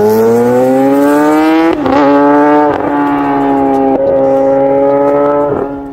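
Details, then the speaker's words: Motorcycle conventional even-firing inline-four "screamer" engine: high, smooth wail held near the top of the revs with brief dips in pitch, crisp and healthy; normal inline-four exhaust note. "Yang ini bunyi enjin inline 4 screamer. Favorite aku secara peribadi. Dia punya bunyi nyaring tu, bunyi daripada 4 silinder memang sedap."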